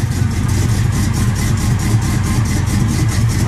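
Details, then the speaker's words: 1969 Impala small-block Chevy, Holley carburetor just adjusted: deep V8 idle with choppy rolling lope about four beats a second from the cam; running fine. "Just want to get out of here, man. Cam, you can hear that cam"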